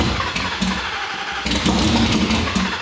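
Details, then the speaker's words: 2019 Roush Stage 3 Mustang V8, first start after blowing the engine: rough uneven running that stumbles and surges, won't idle without throttle; camshaft position sensor circuit codes, possible harness fault suspected. "holy all right guys so we got the car started i you have no idea it's not quite running on its own i was having to give it a little bit of throttle to keep it running we have a couple of codes for cam shaft position sensors etc"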